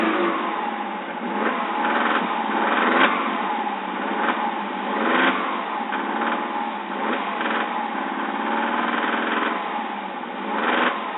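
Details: Subaru petrol engine under load around 2500 RPM, with low oil pressure at warm idle: sharp irregular knocks heard only under load; owner fears a rod bearing, or piston slap, unconfirmed.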